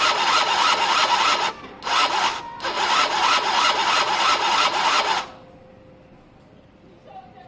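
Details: Gilera DNA 50cc scooter, cranked on ignition with plug out for spark check: rough pulsing starter whirr about five seconds, no firing; no spark seen, felt or heard though it sparked days earlier; CDI suspected, unconfirmed.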